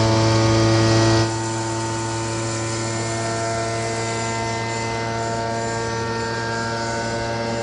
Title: 140526 Loud Noise and Big Vibration Retest 3--7000